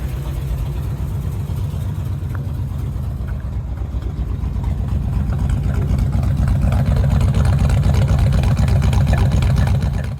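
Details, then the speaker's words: 1951 Ford F1 after a full engine rebuild and new wiring harness, at a slow, lazy idle with a deep, even rumble, far below 1500 RPM. The alternator was not charging, and the low idle is the suspected cause. "But see, you can hear from that, like that is not hitting anywhere near 1500 RPM at idle."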